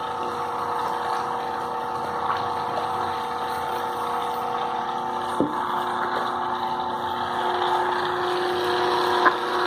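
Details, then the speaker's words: Ventisol wall fan that stopped working, blown thermal fuse, running on test: steady motor hum with faint rough, uneven rumble and occasional clicks; worn motor bearing, motor replacement recommended. "sendo que nesse caso tem mais problema além do fusível o rolamento está com o programa"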